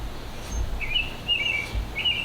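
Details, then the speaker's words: Apollo Phantom electric scooter after about a year and 1200 km, wheel spinning: light scraping squeak that comes and goes each revolution as the slightly bent 10-inch brake disc rubs the pads on either side, so the wheel never spins free. "it kind of goes back and forth like that so it's a little bent so it rubs on either side when i'm going so it's never free"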